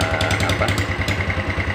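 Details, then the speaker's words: Yamaha Mio Sporty after piston replacement with 200 oversize, worn camshaft and rocker arms not replaced: quick, slightly uneven putter with top-end clatter; rough idle, attributed to worn parts not yet replaced. "sementara kita akan coba Nyalakan dulu suaranya seperti apa yang jelas saya yakin ini tidak akan bisa halus ya Soalnya ada banyak fat yang diare yang seharusnya dilakukan penggantian seperti noken as Templar"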